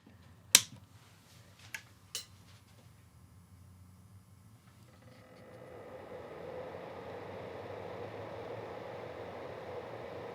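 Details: Nanlite FS-300 LED light before its stock fan was swapped for a Noctua NF-A12x25 120mm fan: after a few clicks a steady airy whoosh starts and holds even, the loud stock cooling fan.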